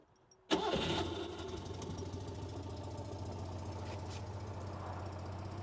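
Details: 1976 Citroen 2CV6 Club, carbureted 29 hp two-cylinder boxer with a just-rebuilt carb: quick crank, catches at once and settles into a soft, even, steady idle with no knocks or misses; it just purrs.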